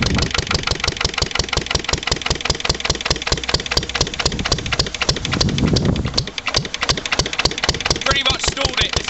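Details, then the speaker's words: Lister LD1 single-cylinder diesel on a chilly morning, after a fuel filter change and bleeding: a steady thump that stumbles and sags when load is taken, even light load, nearly stalling and making heavy smoke. Runs rough; owner suspects an air lock in the fuel lines. "that created a bit of a um a bit of a smoke screen that anyway s clearly isn't right with the old"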